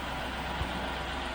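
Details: 1971 Range Rover V8 with Petronix-type electronic ignition in the Lucas distributor, which greatly improved running. Smooth even idle, low steady rumble, no misfires or knocks. Normal idle; owner doubts the viscous fan is working.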